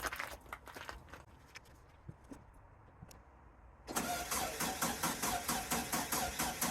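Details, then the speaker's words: VW-engined sandrail dune buggy started after standing 18 months: sputters to life, then a rough, lumpy beat with a missing pulse, firing on only three cylinders; owner suspects a vacuum hose causing a leak. "I think it's definitely firing only on 3. I'm going to take the spark plugs out and give them another clean, see what the problem is. Right, I found something else which might be the problem for why it's running very, very rough, and probably as it was previously."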